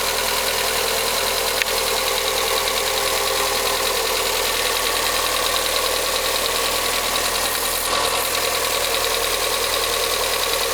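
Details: VW Gol G6 1.0 on a cold first start: fast, uneven light tapping at about three per second over a steady idle. The VW dealer diagnosed faulty hydraulic lifters; the engine was opened and they were replaced.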